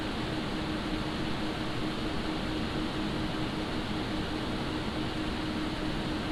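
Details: Montech HyperFlow Digital 360 liquid AIO on an open bench, with the pump at full speed and the radiator fans ramped up under load: a soft, even airy hum with no sharp pitch, whine or rattle. Normal fan hum.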